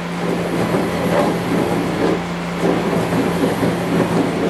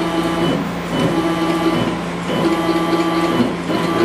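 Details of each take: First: CNC mini-mill axis in 1-inch jog mode with the gibs fully loosened: steady motor hum with a rough, gritty rasp that swells and fades as the axis moves; ball screw end thrust nut binding. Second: CNC mini-mill after tuning, velocity 50 in/min, acceleration 5 in/min², jogged by short clicks: even jog moves with a clean steady whine and brief pauses, no grinding or stutter; axis traversing smoothly.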